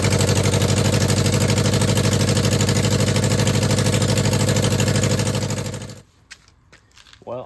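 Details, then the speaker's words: 2009 Subaru Forester X EJ253 NA, first start after engine install with remanufactured OEM heads; loud choppy idle, heavy uneven chuff about three per second, dropping cylinders; owner suspects an ignition coil or fuel injector, unconfirmed. "Um, you know, I did not touch the ignition coil and I did not touch fuel injectors. So, I'm thinking it's either a coil or injector."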